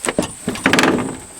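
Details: Jeep Cherokee door swinging: a short, high creaking squeal, then a thump at the end of travel; the hinge is worn and dry and the owner says it needs fixing.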